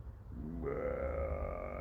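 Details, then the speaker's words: VW Scirocco 2.0 TDI just after water pump and timing belt replacement and refill: hollow gurgling burble settling into a wavering tone; owner assumes air in the coolant needs to breathe out, bleeding still to do. "now we are glugging noises around i'm assuming it's just got to breathe it out now"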